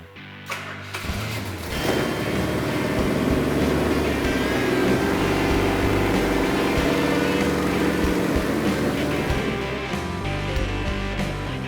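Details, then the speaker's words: Freshly rebuilt Hemi for a 1970 Charger, first fire-up on the stand, choke set slightly rich: steady, even beat and smooth throttle, partly masked by music; engine runs wonderfully, no problems. "after the engine was assembled and ran it just sounds wonderful and no problem with the engine"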